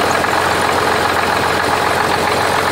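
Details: 1985 Oldsmobile 98 diesel, started after brief glow plug time, with a larger replacement tensioner pulley: steady, even idle clatter with no belt slap, chirp or shaking, where the belt previously jumped around; normal idle.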